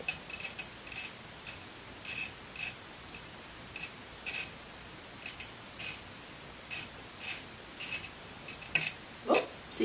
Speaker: see, that's where I finished the whole circle, and it made that different, much coarser, rougher sound.